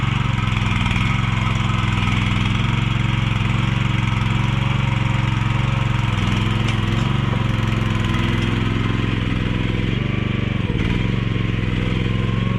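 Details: Mini excavator with pull start, repaired after being bought broken and then sitting about 3 weeks, oil and fluids still to be checked; small single-cylinder engine holding a smooth, even idle with no knocks or misses, running pretty good.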